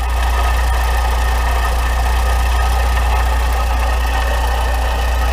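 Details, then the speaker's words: Volkswagen Voyage with EA111 petrol engine idling, Poly-V belt and timing belt cover removed, noise persists: steady rough whir and light snoring rattle from a worn water pump bearing, 99% pump not tensioner; timing belt and tensioner replaced. "ổ trục căng đai hay máy bơm nước có tiếng ồn Nhưng tiếng ồn ở đó giống cái gì nhảy vậy 99% là máy bơm nước"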